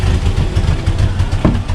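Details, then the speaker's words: Nissan D21 flatbed truck, sat 5 years, running on new fuel with some bad gas still in system: rough idle revving down and up unevenly. Surging idle, bad fuel suspected. "but it's i mean it's running surging pretty good it'll rev down rev up so"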